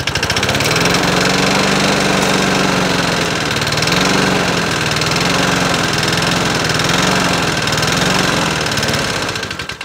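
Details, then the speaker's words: Troy-Bilt mower single-cylinder engine started with starting fluid, bent blade and likely stale fuel: rough loud run with heavy knock about four times a second, swelling and fading; owner judges the engine shot, not confirmed. "probably an engine shot by judging by the way that sound he's not even trying to"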